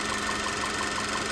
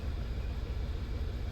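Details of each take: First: VW Tiguan after port cleaning and new injectors, once misfiring on cylinder 1 (EPC light, running on 3 cylinders): a steady idle with quick, even ticking and all cylinders firing after swapping in plugs and injectors from a spare Tiguan; owner suspects a bad coil or plug. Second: VW Tiguan at idle after head port cleaning, new injectors and water pump: low, uneven rumble with a skipping beat, running on three cylinders with EPC light; cylinder 1 continually misfiring, some on 3.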